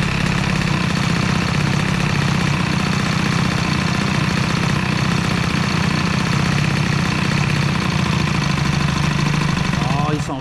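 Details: Stage6 65 two-stroke moped engine with a new piston, in running-in, warming up. A loud, lumpy, stumbling idle that sounds like it is going rich; the throttle has to be held.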